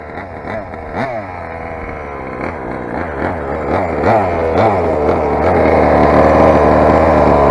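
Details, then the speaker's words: Rovan 45cc big-bore two-stroke on its first run, with a modified exhaust header and the stock carburettor: revs in uneven, hunting surges without a clean pull. Carb settings are suspected of making it run lean. "guys it's quite obviously carb settings are white out"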